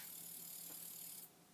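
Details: Commodore 1541 disk drive, twin of a unit that spins endlessly, with a 6522 chip swapped in: steady airy whirr from the drive motor for just over a second, then it stops cleanly; normal spin-up and stop.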